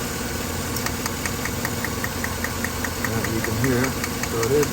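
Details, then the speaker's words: 2013 Chevrolet Silverado 5.3L with P0300 and P0521 codes, flashing check-engine light, idling: a rough misfire with sharp, even snapping ticks from cylinder 3. The coil is firing, so the misfire points to a faulty spark plug; compression is 131 psi. "Run the engine data, misfire data. You can definitely feel the misfire."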